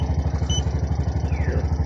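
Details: Bajaj RE three-wheeler stored two months and not starting, with earlier stalling: steady even single-cylinder thumping at about seven beats a second, no knocks or misses, idling cleanly after starting; no fault codes, fuel pump positive had no power.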